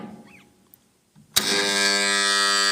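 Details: 3-phase starter contactor after cleaning carbon off the coil core with sandpaper: coil pulls in with a snap, then a loud steady buzzing hum holds, not reduced by the cleaning.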